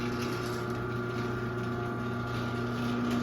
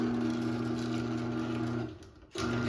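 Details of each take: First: 2001 Chamberlain 7320 1/2HP chain-drive garage door opener with a non-original rail, chain, cable and pulley from a Craftsman: a steady motor hum with a buzzy, uneven rattle as the trolley vibrates while travelling, then stops; cause unknown. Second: 2001 Chamberlain 7320 1/2HP chain-drive opener on a Craftsman rail and chain: a steady motor hum and chain whir cut out when the safety sensors are obstructed during closing, then the drive reverses and goes back up; the light blinks 10 times.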